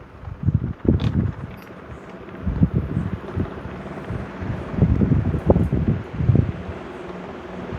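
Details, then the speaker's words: Vintage Brinsmead desk fan that fell off a bench, on high: uneven low thumps and rattles, wobbling the bench; out of balance, not the cracked housing, maybe bent shaft. "Oh, it's got a bit of a rock to it. It's wobbling my entire bench. Yeah, something's out of balance. Maybe the shaft got bent."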